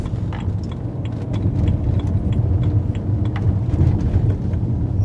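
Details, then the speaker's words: BMW 3 Series driving on the road before coilovers are fitted: heavy low road rumble with repeated sharp thuds and crashes over each bump; the shock absorbers are completely worn out, giving a very firm ride. "the suspension's not great it's very very firm there is just no shock absorption at all it's awful"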